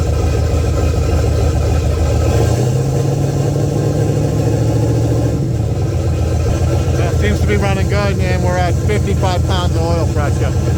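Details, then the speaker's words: Pontiac 400 V8, boosted drag car, after a backyard refresh with new rings, bearings and pistons, antifreeze in, run-in check with idle raised slightly because it idled slow: deep, even rumble, no knocks or ticks; normal running. "So, we're just going to pump it, fire it up, and give it a little bit more RPM because it was idling a little bit slow."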